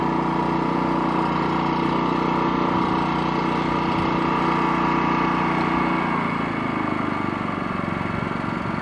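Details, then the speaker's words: Wen 3100-watt inverter generator in eco mode, powering an RV, no oil change in six months: small engine humming evenly with a steady note, then easing to a softer, lower drone after six seconds; quiet, smooth and healthy. "That's in eco mode, so obviously it's a lot. It's pretty quiet. Yeah, When we're inside, we don't even hear it run."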